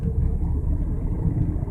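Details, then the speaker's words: 2001 Ford Mustang in fourth gear at 25 mph, also in third under throttle, has a deep lumpy rumble that stutters as it shakes violently. A misfire is suspected and the shops could not diagnose it. "shaking pretty violently same thing happens in the fourth gear so fourth gear uh 25 miles an hour shaking not good sounds like misfire"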